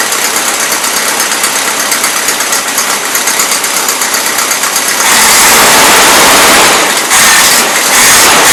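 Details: 1977 Toyota Celica with a Weber carburettor, first run in years, cold: rough, lumpy, stumbling idle that then roars into steady high revs. It loads up rich even with the mixture screws fully in; the owner suspects fuel pump pressure or icing.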